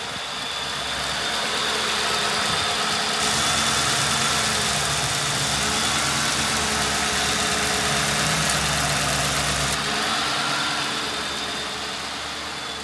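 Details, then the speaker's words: 2010 Ford Crown Victoria Police Interceptor, 4,658 engine hours, bad fuel pump, running on fuel poured into the intake: steady even idle, smooth low rumble, no knocks or misses; engine sounds good. "Let's let it run until it runs out of the little bit of fuel I put in here. Engine sounds good."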